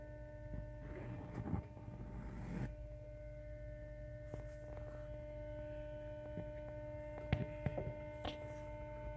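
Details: 2017 Toyota Tacoma TRD Off-Road 4x4 V6: steady electrical hum with several fixed tones, engine off or on, louder in engine bay and 2-3 times louder in ignition mode; not from fuse box behind battery; source unknown.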